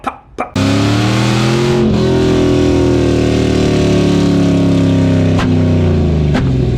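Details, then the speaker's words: LS-swapped, cammed S10 Blazer V8 revs and falls away with sharp pops on deceleration; old spark plugs suspected, owner hopes new plugs fix the backfiring. "So, it has been doing this backfiring thing on deceleration. Like, whenever you get on it and you're decelling, it'll pop pop pop"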